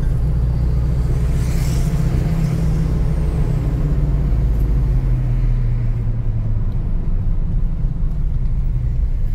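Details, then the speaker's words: 1998 Ford F1000 4x4 while driving: heavy, deep, loud droning roar holding steady while rolling; drivetrain drone, source not yet pinned down. "Você está escutando esse barulho aí? Um ronco bem alto?"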